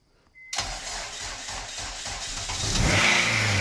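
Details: Honda Jazz with K-series engine swap, start after fixing ECU 12 V feed; starter catches at once, settles to even steady idle, then revs cleanly: normal start and idle.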